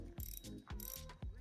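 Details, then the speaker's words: Handing M1 Elite spinning reel, drag releasing line with crisp regular clicks about two per second; normal drag clicker. "Sounds fine, all good. The drag sound, like I say in all my videos, sounds a little bit different when you're gripping onto the spool, especially if you grip down here, because it will dampen the vibrations."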